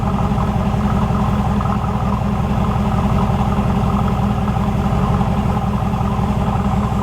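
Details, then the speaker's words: Chevrolet IROC-Z Camaro with a new engine and GM OBD1 ECM, heard at the rear exhaust. With the scan tool unplugged, idle settles at about 600 rpm with an even pulse and no misses or hunting. The scan tool was causing the high idle. "sounds just like it ought to sound would have never guessed have never guessed that my scan tool would make that much difference"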